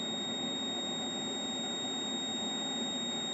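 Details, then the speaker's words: Logic probe on the faulty Moon Patrol arcade CPU board, pin 8 of the LS30 chip at 4E: steady, unbroken high tone with no pulsing; the line is held low and not toggling. "but i bet that's not toggling either one two three four five six seven eight right that's low"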